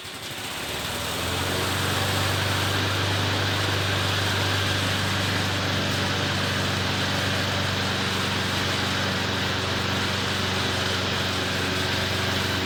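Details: McLane mower idling with rear lifted so freshly lubed drive chains freewheel without driving the mower: smooth even idle, steady low hum, no chain rattle or slap; chains well lubed, runs fine.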